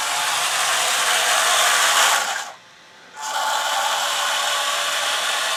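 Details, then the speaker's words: Steel gearbox on a Panzer III model, compared against brass dual-ratio gearboxes after a noise fix: even high whir, pause, then smooth whir, no grinding or clicks; normal quiet gearbox running, no longer loud as steel boxes used to be. "I think both of them are pretty quiet I won't think there's a whole lot of difference the steel gearboxes used to be a lot louder"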